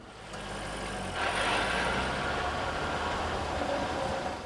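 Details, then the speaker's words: 1999 Chevrolet Corvette C5, high-output V8 front with rear-mounted transmission; even mechanical buzz and light rattle from underneath over steady engine drone, a normal characteristic of this driveline layout, not a problem. "this noise is not an indication of a problem it's a characteristic noise inherent in the driveline configuration of the corvette with a high output v8 engine in the front and a high capacity rear mounted transmission"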